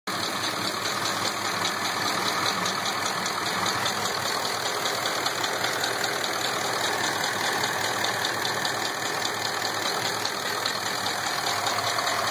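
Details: V8 idling with a light, uneven ticking about two or three a second; check engine light flashed under acceleration, code P0306 (cylinder 6 misfire), later found to be a collapsed DOD lifter.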